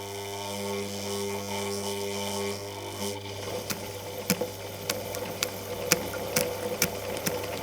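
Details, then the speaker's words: Vintage Pfaff 260 sewing machine motor straining to start at very low speed when the pedal is only tapped: steady electric hum with uneven clicks as it struggles to push the mechanism. "le voici la machine à coudre essayant de démarrer cette roue ici apporte quand nous voulons laisser notre machine tourner très lentement et nous-mêmes"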